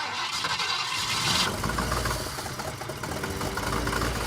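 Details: Ford Falcon, sat over six years, first start after fuel pump polarity fix: engine runs lumpy and uneven with irregular clunks and chugging; ignition timing set incorrectly.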